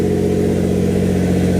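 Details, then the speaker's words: Built Greddy twin-turbo G35 with oil pressure priming to 50 psi, reading about 90 psi and due to be turned down, UpRev tune loaded; steady, even engine note, smooth drone, no knocks or misses. AFR about 12, running well. "AFR is looking so much better. It's at 12 right now. And the car's running so good!"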